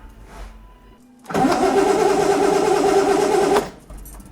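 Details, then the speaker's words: Six-cylinder project car, first start attempts after parts replacement: starter spins steadily about two seconds, roughly three turns a second, never catches; no spark at plugs. Crank no start, no spark. "Oh dear. I'm missing something. Yeah, spark."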